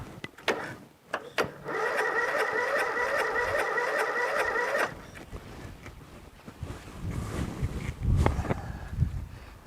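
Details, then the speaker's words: Briggs & Stratton 13.5 hp flathead lawn tractor after clearing a mouse nest and lubricating the ring gear: sluggish, uneven cranking that never catches; slow cranking, cause not confirmed. "see if it cranks better now still doesn't crank very fast you know"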